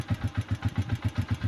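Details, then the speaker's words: Honda TMX single-cylinder motorcycle, recently rebuilt, once flooded: idle thumps about seven beats a second with a light tick (lagitik) on each beat; excessive clearance suspected. "bagong buhay pa lang ah pero ano na yung tunog niyan lagitik na So ibig sabihin ang laki ng bb clearance niyan"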